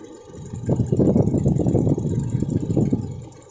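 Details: Toyota Innova, engine type 1TR, idling: revs rise and fade with an uneven, lumpy pulse and irregular beats instead of a smooth run, engine misfire at idle.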